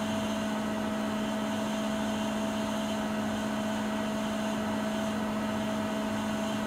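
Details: Siemens IQ300 washer (WG41A1X1TR, listed 9 kg/1000 rpm) mid-way through the 13-minute spin at top speed, rated 72 dB: steady, even hum with a clean mid tone and a fainter higher one, no knocking or rubbing. Normal full spin.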